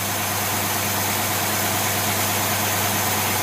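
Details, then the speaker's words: Rochester Quadrajet marine carburetor tested on a running engine under restrained load, mixture about 12:1: dense, steady roar with no misses, surges or knocks, accelerating smoothly. "it's under restrained power it's driving the thing back there which is which is uh pulling down on it"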